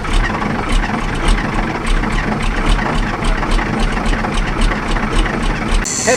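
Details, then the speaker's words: 1984 Ford L8000 with Caterpillar 3208 diesel, unrun for 3–4 years, fuel system primed: catches and settles into a steady even idle with a regular low thump, all cylinders firing smoothly. "that fuel padle that's good fuel pedal stuck on all right we're going to box up our batteries here but that's I mean that damn thing's bur like a kitten listen to that"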